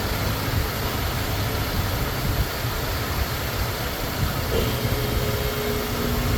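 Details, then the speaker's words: Ford Thunderbird Town Landau with a new fuel pump and rebuilt carburetor: steady, even low rumble with no misses, knocks or hunting; back to normal idle, though a leak was then spotted. "It's running exactly the same. Ah, there we go. Back to normal."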